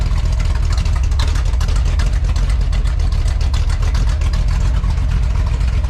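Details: 1966 Chevrolet C10 V8 with a new, first-time self-built and welded exhaust system, started at idle after install: low, even burble through the pipes with no rattles or leaks; normal exhaust note.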